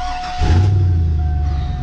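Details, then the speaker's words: Truck with a ticking under load, started after the gasket and EGR were refitted and before the exhaust manifold gaskets are replaced, engine not yet warmed up. It catches and settles into a deep, even rumble with no ticking or tapping: sounds healthy. "first off that sounds good"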